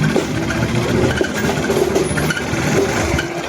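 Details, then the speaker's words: Kawasaki NS160 FI motorcycle idling with uneven clicking, scraping rattle: something catching on the magneto, possibly a loosened screw; general overhaul planned. "May sumabit magneto. Maaring lumuwag yung turnilyo dito."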